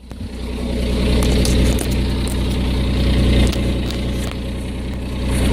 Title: Exhaust leak